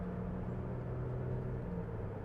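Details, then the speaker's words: Kia Sedona after replacing a broken rear coil spring, driving over big bumps: only low even road rumble, no clunks, creaks or rattles. "Right there was a big bump. Here's another one at the end of that patch. And it's nice and quiet."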